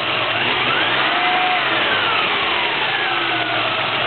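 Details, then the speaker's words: 1994 Chevrolet Z24 3.1 idling with a thin, drifting whine like a power drill, also heard when driving. It was later confirmed as an old drive belt and cured by replacing it; a replaced power steering pump was not the cause. "I don't know if it's just me or not but when I'm driving on the street that's all I can hear"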